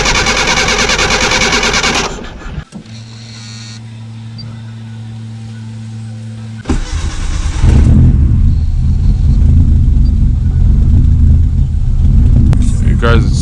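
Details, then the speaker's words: Mitsubishi Mirage MIVEC after oil change, steering rack boot and rear left wheel bearing replacement: cold start cranks, then catches into an uneven, lumpy, hunting idle; owner suspects the idle air control valve isn't working. "guys sound a little miserable at cool. Like the air control valve don't work."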